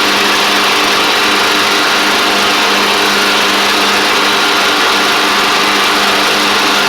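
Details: Craftsman DYT4000 riding mower after repair, running: steady, even high-pitched engine drone with no misses, hunting or knocks; charging the battery, drives and blades work; running cleanly.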